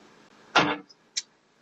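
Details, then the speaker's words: Seat Ibiza Cupra after a day of drag racing at Santa Pod: a single harsh scraping burst comes when the steering wheel is turned with the car on. This abnormal steering noise has an unknown cause, and the car later broke down on the way home. "yeah it it shouldn't um it shouldn't be making that noise."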